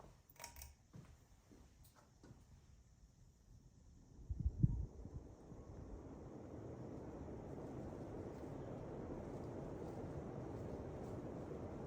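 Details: 2000 Hunter Original 52-inch 5-blade USA-made ceiling fan, weathered brick, quick 0-to-high start: handling clicks and a thump, then smooth airflow rush building steadily, no ticking or rubbing; healthy spin-up.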